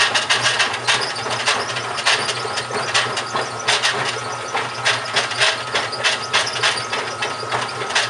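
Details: GE washing machine, model WHDSR315DWW, bought 2006, grinding while running: irregular rough scraping bursts about once a second over a low hum; owner suspects the transmission is going bad, unconfirmed.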